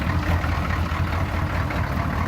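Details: Military 6.2 diesel conversion truck, about 1991, cold start in snowy winter after sitting five days: started right up, even low diesel clatter at steady idle with no misses or knocks; normal cold idle.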